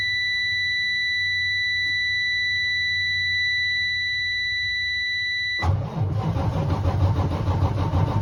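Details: Freightliner with 14L Detroit Series 60 diesel: steady electronic tone for several seconds, then noisy cranking for a few seconds without catching; hard start.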